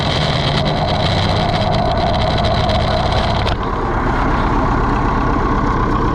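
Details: Allis Chalmers 175 diesel tractor, just reassembled, after bleeding the pump to clear air: clatters steadily at an even idle with a brief shift partway. No misses or knocks; the engine is running properly, with slight mist after sitting.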